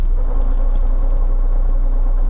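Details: Lada Niva at Lada service under warranty, engine idling in neutral, clutch pressed then released: dull rough rumble with light bearing whir once released; gearbox input shaft bearing noise, input shaft replaced as assembly.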